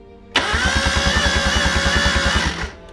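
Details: $300 Miata drift car that stopped before a test drive after strange noises: fast, even cranking for two seconds that never catches or fires; the no-start comes from jumped cam timing.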